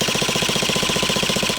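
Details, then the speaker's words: Traxxas T-Maxx 2.5 nitro RC monster truck with no air filter, after long storage: fast, even starter buzzing for about a second and a half, cranking slowly without firing; owner suspects the starter battery has gone flat. "not very quick mind you don't tell me this battery's gone flat already bloody hell"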